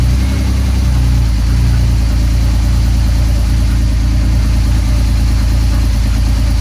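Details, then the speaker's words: Drift car after swapping in a replacement engine (old one had a bad head gasket), first start: smooth, deep idle holding a steady beat around three pulses a second, no ticking or knocking; sounds healthy. "Just gonna start it, make sure it sounds good."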